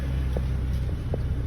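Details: BMW 330i N52 petrol, car jacked up and idling: deep rumble stumbling unevenly now and then, an intermittent misfire followed by cutting out; mechanic checking fuel pump current draw and air leaks.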